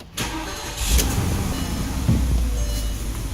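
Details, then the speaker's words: Porsche Cayenne Turbo 4.5L, after starter, vent lines, booster and cam solenoid work, fuel pump scoped with scan tool: crisp start and smooth even idle, revs without faltering; fuel pump running properly; normal start and idle. "That right there is a beautiful fuel pump, running properly. When you rev it, it doesn't play up, everything's perfect."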